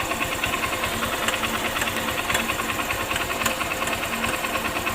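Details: Honda Shine motorcycle idling with a newly fitted timing chain; light fast metallic ticking and rattling, intermittent, sometimes very loud, because the cam chain tensioner is not working and leaves slack; timing chain rattle.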